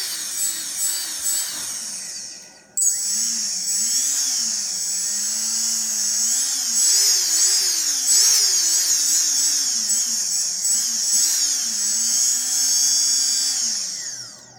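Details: RS2205 motor: loud, piercing high screech over a low motor note that wavers with throttle; screeching motor needs checking.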